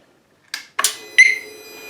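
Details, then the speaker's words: 2018 Harley-Davidson Softail with a just-installed Smart Siren II security alarm, tested after reassembly: switch clicks, then a sharp high arming chirp; the alarm works normally. "hear the chirp turn it off walk away and you hear the double chirp I'm guessing the alarms gonna work"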